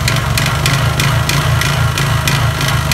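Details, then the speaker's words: Honda Verza single-cylinder motorcycle at idle with throttle blips, white smoke: hollow kletek-kletek knocking clatter rising with throttle, slight rattle; suspected scored, damaged piston (possibly con rod), often from late oil changes; piston slap. "demikian untuk suaranya untuk motor Honda Verza ini kemungkinan piston kena ataupun stang piston ini kedua kemungkinan ya karena ada suara kletek-kletek dan suara kemruyuk tapi cuma sedikit"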